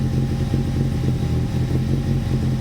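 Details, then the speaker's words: Toyota TA22 Celica with a 4A-GE engine, first start after ultrasonic-cleaning the injectors and fitting a new fuel filter. Low, lumpy, stumbling rough idle with no fuel yet in the system; old fuel had caused idle dropping to two cylinders. "It's not going to have any fuel in the system, so definitely doesn't sound happy."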